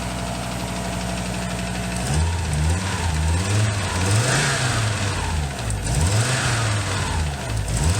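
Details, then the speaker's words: Audi after new timing belt, water pump and hydraulic lifters: uneven knocking about three per second that grows as revs rise and fall, when gears load; owner suspects distributor shaft play/bearing and hopes a new distributor fixes it, no misfire. "you're just making a knocking noise and it almost sounds like it's coming like it's like bearing or something like that"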